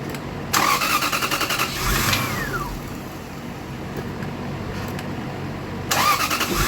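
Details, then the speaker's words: 2000 Lexus GS400 with no check-engine light and a replaced fuel pressure regulator: starter cranks, engine catches then dies within a second or two, cranked again; stalls despite throttle, traced to a faulty aftermarket mass airflow sensor. "this has a no it has a crank no start from what the shop told me that they crank it it hits it it it it starts and it shuts down immediately"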